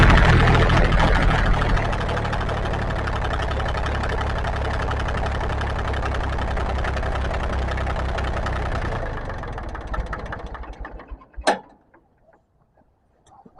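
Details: International 284 diesel tractor after fuel filter change and bleeding air from lines: steady, even diesel clatter at idle for about nine seconds, then a clean wind-down to stop with no missing or stumbling; normal idle.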